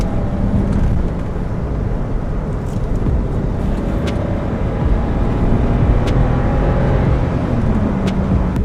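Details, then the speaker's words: 2010 BMW 535i E60 N54, driving in manual mode at higher rpm on its own fuel with seafoam mixture after walnut blasting intake valves; even engine drone under road and tyre noise, no misfire or knock, running well and smooth. "So the car feels like it's running really well and smooth. There's no issues so far."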